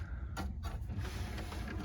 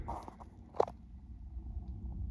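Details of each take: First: Sony BDP-CX960 400-disc Blu-ray changer after stuck discs were removed, which had caused a loading fault and a bad noise: low motor hum with short mechanical whirs and clicks as the door drives shut, working normally again. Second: Sony BDP-CX960 400-disc Blu-ray changer, disc not loading: low continuous rough rumble with sharp clicks on power-up; loading mechanism grinding, cause not yet known.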